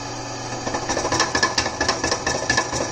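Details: Millrite MV1 milling machine spindle running: sharp, uneven clicking about two ticks a second over a low hum; owner wonders if it indicates a spindle problem, cause unconfirmed.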